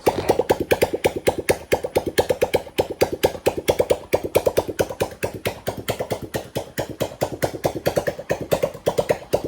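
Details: Homemade petrol off-road buggy, kick-started after the fuel system was fully connected: single-cylinder engine puffs evenly at a fast idle with slight unevenness in the beat; it runs, but acceleration and tuning still need work.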